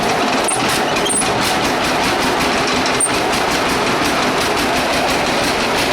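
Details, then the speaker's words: Idling two-cylinder engine with heavy, evenly spaced knocking several times a second, like hammers beating on the block; deep bottom-end knock of unconfirmed cause, though it runs and idles well. "Okay. As you can hear, that thing sounds like the hammers of hell beating on the side of the engine block."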